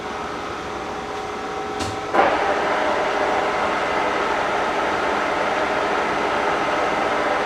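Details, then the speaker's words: K&T milling machine spindle stepping up from 638 to 1130 rpm: steady whir with clean gear mesh tones and one brief clunk at the speed change. Smooth and healthy. "so you can see that the columns and the machine itself is actually running it's running good it sounds nice and I think we're good"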